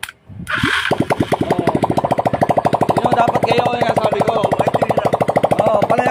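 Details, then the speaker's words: Motorstar 200 single-cylinder motorcycle after carburetor cleaning and idle adjustment, previously hard-starting, misfiring and unable to hold idle: even, quick thump about three firings a second, holding steady; stable normal idle. "ganyan na stable yan kasi ganyan yung gustong mangyari ni tatay na yung minor stable"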